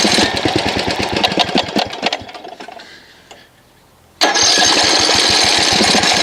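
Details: Snapper RER Comet mower engine that sat for about a year on ethanol gas, with a good plug, a checked air filter and the choke off. It makes choppy, uneven popping that sags almost to nothing, then surges back to a ragged run. Stale fuel is making it run rough.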